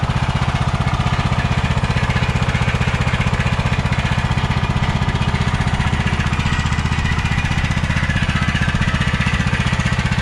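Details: Kohler Courage 20 hp on a Craftsman DYT4000, fuel line filled down to the carburetor: even, regular thumping at about four beats a second with no stumbles or hunting, a smooth runner. Normal idle.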